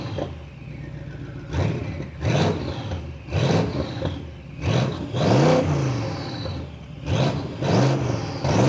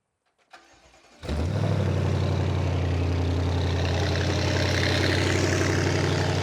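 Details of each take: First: BMW N63 twin-turbo V8 with catalysts removed and new downpipes, lower pipe not yet joined to the exhaust: repeated revs give a loud raw roar rising and falling with throttle; loud because downpipe disconnected. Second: BMW N63 twin-turbo V8 after catalysts removed and downpipes fitted, started to check joints: catches quickly into a deep, steady, even idle with no puffing or ticking at the joints; no leaks, bolts tight.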